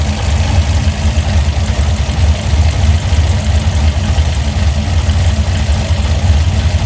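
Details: Engine with Holley Sniper fuel injection at idle: loud, deep, irregular lope with uneven pulses, missing a beat now and then: misfire at idle.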